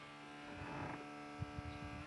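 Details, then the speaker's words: Electric fuel pump hums steadily at a fixed pitch and never cuts off, even with the ignition key turned off; only the battery master switch stops it. Trying a wire didn't help, and the owner suspects the ignition switch. Cause not yet found. "постійно Гуде і получається цим ключом що ди що сюди Воно короче не виключається"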